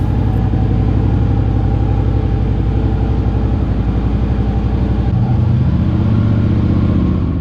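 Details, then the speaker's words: 2009 Harley-Davidson Street Glide after starter drive replacement and primary cover reinstallation: deep even V-twin idle with no starter grinding or clatter on startup; the noise was confirmed to be the starter drive. "sweet! no more noises when it starts up, alright she's all set she sounds good when she starts up definitely was the starter drive that needed to be replaced"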